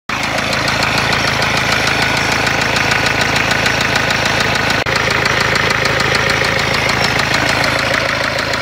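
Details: Renault Kangoo 1.5 dCi diesel with blown engine: loud, hard knocking hammers steadily over the idle at roughly three beats a second, a heavy internal knock from severe engine damage.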